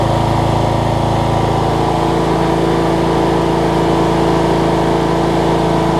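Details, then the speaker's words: Cub Cadet riding mower, Kohler Courage single-cylinder engine, just after HIPA carb kit installed on a carb that leaked all its gas out: steady even thump about three and a half beats a second, no misses or surging; normal running. "Best running Kohlers I think I've ever seen. My goodness. Kohler Courages anyways."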